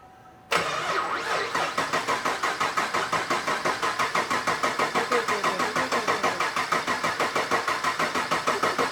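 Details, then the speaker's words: Max-effort naturally aspirated 416 (LS, GPI MAX 2.0 heads and cam, Holley) on first start-up after fluid flush: nine seconds of even starter cranking, about three compression beats a second, never fires; no fuel pressure suspected, not confirmed. "I'm still not happy I don't have some fuel pressure yeah until you run it until it's like on on oh boy got that line"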